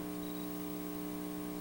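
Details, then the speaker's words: Commodore 128 audio output after replacing the sound chip, temporarily reassembled: loud steady low buzz with even overtones, mains-type hum; source not yet found, capacitors suspected. "all right so it is generating sound but there is it awful buzzing here so I guess we need to take a look at the schematics and then check some waveforms to see where this buzz is coming from"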